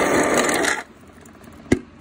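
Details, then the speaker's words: Kenmore refrigerator ice maker dispenser: after the chute noise stops, one crisp snap as the flap closes flush onto its seal; normal closing, whereas a flap that stays open lets ice melt and jam the crusher. "that's what you want to hear you want to hear that flap closing in touching that you know flush it into the the seal right in here"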